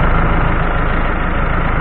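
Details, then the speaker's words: Ford F-100 with Cummins ISBe diesel, 197,000 km, losing power with flashing check engine light, code 723-2: steady idle with heavy busy clatter from the rear gear-driven timing train; worn gears suspected. "Y ustedes para acá entonces si escuchamos y se escucha tiene un ruido fuerte en la parte de atrás que sería la distribución de este motor Cummins este motor cumming es de piñones"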